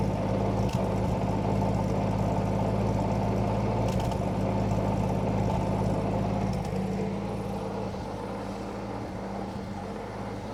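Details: Roughly 1952 Austin 6-cylinder petrol truck with 4-speed gearbox, abandoned possibly 20+ years, restarted after cooling down; even, steady idle with a firm low hum settling slightly quieter, no knocks or misfires, a normal idle.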